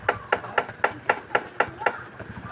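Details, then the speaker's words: Suzuki DA64W/DA64V/DA17W/DA17V AC compressor clutch plate tap test: eight quick taps on a good surplus plate give a clean, solid ring, unlike the noisy old plate with loose rivets; compressor also had black oil and worn pistons. "Pero ito oh. Solid na solid na tunog. Ayan oh. Solid na tunog."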